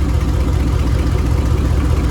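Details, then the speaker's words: Dodge Dakota R/T 5.9 V8 with a bad rear main seal, still driven: a deep, even idle burble with a smooth steady pulse and no knocks or misses, idling normally. "as you can see she is gone but she still sounds good i've been driving her like that for a good minute now"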